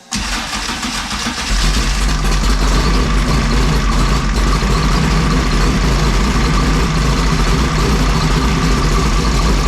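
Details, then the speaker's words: 2001 Jimco Class 1 desert buggy, odd-fire Chevy V6 mid-engine, cold start after oil change and rebuilt oil pump: cranks and catches quickly, settling into a deep loping uneven-fire idle, no knocking or rattles; healthy. "got kind of a cold start thing here so it's kind of cool so here we go"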